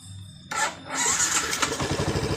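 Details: Yamaha Jupiter MX New after carburetor service (never serviced before; ignition normal), previously hard to start and sputtering: short crank, then catches at once and settles into a steady, even beat; clean start, no misfire.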